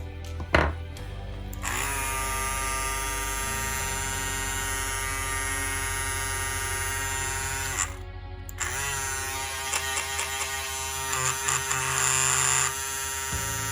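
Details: Andis Cordless Master hair clipper, reassembled without a plastic piece: loud buzzing whine at one steady pitch, stops and returns just as harsh; excessive vibration noise, cause suspected, not confirmed.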